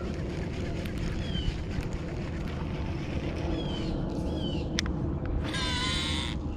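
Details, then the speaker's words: KastKing Valiant Eagle baitcasting reel right after landing a fish: short high screeches as it turns, then a harsh sustained whine that stays even with the drag loosened. Internal damage suspected. "oo turn this thing into a DC reel what is going on with that that sound wasn't there before I caught that fish loosen the drag up see if that sound goes away nope huh all right so that's not great that's not a sound you want to hear if to catch a fish"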